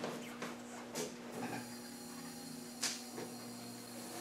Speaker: we're pumping fuel you can hear it